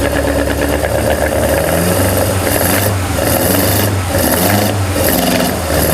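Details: BMW M42B21 four-cylinder engine ("Mighty Mouse", E36 build) after oil pump replacement, oil pressure confirmed: even, steady idle with a low hum, no knocks or misfires. Normal idle.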